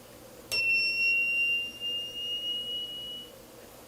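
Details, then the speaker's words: Power inverter at switch-on: a switch click, then one steady high-pitched beep of about three seconds that stops, repeating at every power-on. "ele automaticamente quando eu ligo ele apita e depois ele para o apito né é uma característica é um tipo né de defeito"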